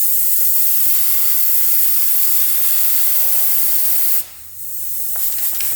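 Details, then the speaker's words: 2000 Honda CR125 two-stroke with a horrible bog, engine off during a crankcase pressure test: a steady hard hiss of escaping air that drops out briefly and returns. No head gasket or coolant bubbles; the leak is at the crank seal behind the cover. "hear it leaking from somewhere all right no bubbles from the head gasket area power valve area exhaust over here nothing"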